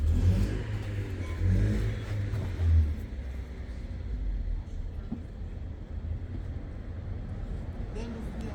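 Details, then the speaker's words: Volkswagen Passat that had shaken and stalled, no engine fault codes found, restarted after work: low, even idle, revs slightly raised but no hunting or surging; running smoothly now. "Абороты кішкене көтерілді. Аборотанда ойнап тұрған жоқ."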